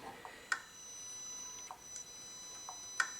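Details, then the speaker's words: 2018 Honda Accord 1.5L turbo with P0299 underboost codes, engine off, EVAP purge solenoid cycled by scan tool test mode, sharp light clicks every second or two; switching normally. "So, I'm just using the um the evvap uh test mode on this um launch um scan tool. So, you can also hear the um solenoid"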